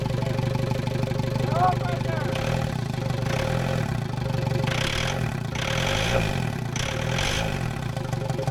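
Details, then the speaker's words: New built VW ALH TDI diesel swapped into Willys wagon, first start, coolant not hooked up: rough loud idle with irregular clanky knocking bursts; cause uncertain; turbo feed oil leak found after. "I don't know. It's like clanky."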